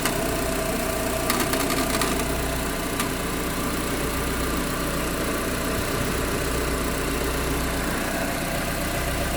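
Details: Proton Exora CPS petrol engine at idle, steady hum with a busy loose rattle; cause unknown.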